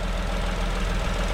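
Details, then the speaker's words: Vauxhall Corsa 1.0 ecoFLEX after new valves, head gasket and timing chain: a low, even, quiet idle with no knocks or ticks. There is a slight exhaust blow and some oil burning off. Normal idle. "is so quiet. So, yeah, at least we know it runs."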